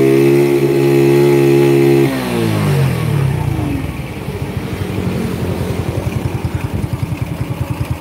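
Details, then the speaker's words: Honda Grand motorcycle with the fake CDI fitted, kickstarted: starts easily but revs hold flat at a ceiling then sag to lumpy idle, a higher limit than the original CDI; rev limiting. "Ini enak hidupnya, cuman masih sama mentok. Cuman bedanya dengan yang lama. Nah ini yang lama dia pendek banget, gas mentoknya pendek banget, dikit aja udah mentok."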